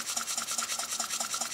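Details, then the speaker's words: Restored Robert Fulton vertical toy steam engine, boiler hard-soldered, under 5 psi suspected: light regular rasping chuffs about five per second, steady, no stumbles; runs very nicely. "I suspect there's less than 5 lbs of pressure in there it isn't much"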